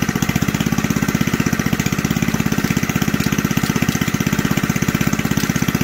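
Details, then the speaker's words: Old junkyard Briggs single-cylinder from reel mower, cold, running on choke, bench-mounted: steady quick putter with light clatter on top, owner says coming from the recoil starter. "a little bit of a clattering coming from the recoil she fired up she sounds pretty darn good"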